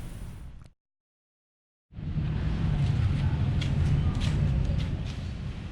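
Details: Scooter just fitted with TWH black intake manifold and refurbished SWR 28mm carburetor: after short silence the engine catches and settles into steady, even burbling idle with no misfire; normal start and idle.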